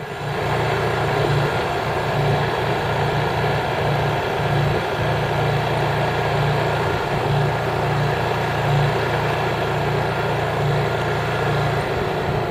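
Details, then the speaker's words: Honda EU3000is inverter generator (new) running in eco mode with no load; even, steady drone at constant speed with no surging, knocking or hunting, very quiet normal running. "See that? That's in eco mode with no load. Crazy quiet."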